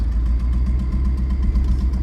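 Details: OBS Chevrolet Silverado V8, budget twin-turbo build with straight pipe, blowing oil, owner suspects a lean mixture and a lost turbo: rough, lumpy V8 beat with an uneven pulse while driving; cause not confirmed.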